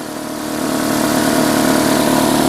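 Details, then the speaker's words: 2005 Nissan Altima 2.5L 4-cylinder just started after valve cover replacement, new spark plugs and coil packs to cure misfires and oil in plug tubes: steady, even idle without misses, ticks or knocks; repair confirmed, running normally. "repair confirmed looking good super up close too much too much no there we go yeah looks good sounds [Music] good"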